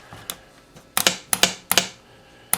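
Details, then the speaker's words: 1972 Evinrude 18 HP outboard, adding electric start after sitting over a decade, solenoid bench-tested by touching hot wire to S1 terminal: crisp clicks in short bursts as the solenoid pulls in; working normally. "you can hear the solenoid fire there that's how I test them"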